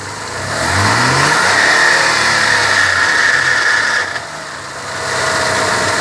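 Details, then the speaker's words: Car engine knocking from the lower engine at startup and while revving: it revs up and settles with a steady knock of about four a second underneath, also heard when shutting off. "You can hear the knocking noise evidently in the beginning of the startup. And he's going to go ahead and rev it, and you can hear some knocking at the revving point."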